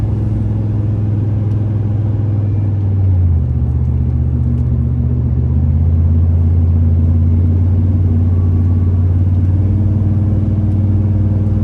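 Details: 2005 Chevrolet Silverado 3500 dually 4x4, 8.1 L V8, Allison automatic, 26,000 miles, pulling uphill: deep, smooth V8 rumble rising and dropping cleanly through two gear changes, no knocks or whines; normal healthy engine under acceleration.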